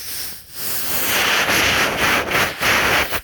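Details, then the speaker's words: Oxy-acetylene cutting torch with oxygen regulator at about 53-54 psi (about 40 psi wanted while the lever is squeezed): a steady high hiss from the tip while the cutting lever is held, with brief dips. Oxygen flow is normal. "Oxygen comes out the tip, and that's what you use to cut with, okay?"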